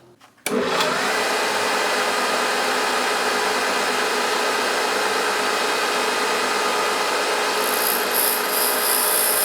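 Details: Grinder "Herbert" running with its newly fitted motor, freshly trued wheel on steel (earlier undulations came from an out-of-true wheel): steady, even grinding hiss with no pulsing or surging; normal grinding.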